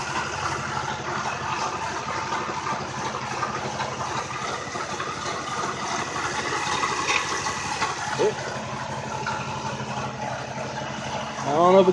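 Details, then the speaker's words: Toyota Camry 1MZ-FE V6 idling after the timing belt was put back on: uneven, stumbling idle with an irregular shake. A fuel injector left disconnected while checking for misfires causes a dead cylinder, so it was reconnected. "I think I found my problem I when I was checking for the misfires I pulled the injector off so I pop that back in"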